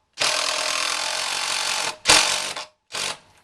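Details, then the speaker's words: DeWalt 20V DCF885 impact driver, battery on one bar, driving a 3-inch stainless Torx screw through two pieces of 2x pine: high steady whir, then short hammering bursts as it starts skipping about two-thirds of the way down; normal impact mechanism engagement. "you could hear it starting to skip about 2/3 of the way down through the screw."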